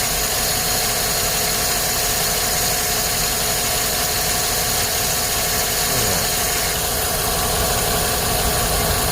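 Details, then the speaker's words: 2010 Chevrolet Silverado 5.3L V8 with P0300/P0304 codes, spark plugs replaced six months earlier; uneven stumbling idle with irregular thumps about four a second; cylinder 4 misfire from a loose spark plug. "foreign plug I think this is loose oh yeah this is loose look at that see if we can focus look at that look how loose it is"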